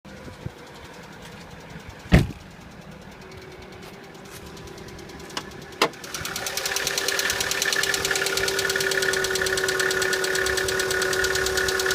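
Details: Chevrolet Cruze at a cold start in light frost: an unpleasant extra noise, a steady whine with quick ticking over the cold idle, that later goes away; cause unknown.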